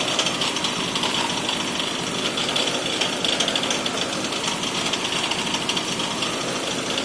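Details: 2001 Toyota Camry with a super rough idle: the engine stumbles hard with a heavy, uneven hammering knock; it was smoking with a burning smell. Cause not pinned down.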